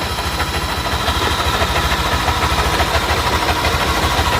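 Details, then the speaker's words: Yamaha NMAX single-cylinder scooter idling with pulley removed: rough, dry srek-srek rattling scrape over its steady beat from the cylinder head area; suspected worn camshaft bearing or tensioner, not confirmed. "tapi analisa saya itu bunyi di bagian kop depan dia sepertinya bunyi di bagian area cop head ya bisa rusak di bagian Templar ataupun bearing noen asnya yang kena ya terdengar ya suaranya srek srek srekkrek"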